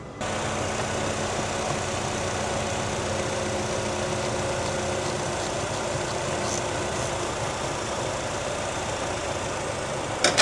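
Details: 2014 Nissan Frontier four-cylinder that runs rough and stalls with no codes, fuel trims about +20–25% lean at idle, no vacuum leak on smoke test: slightly uneven, wavering idle; fixed by replacing the air/fuel ratio sensor.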